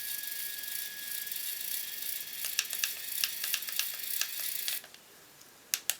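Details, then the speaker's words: 3D printer pen loading its own supplied filament while hot: the motor throttles up and down with high, uneven ratcheting clicks in bursts. It is struggling and barely feeds filament out of the end. "Oh, it's started to feed out the end. But it sounds like it's struggling so badly."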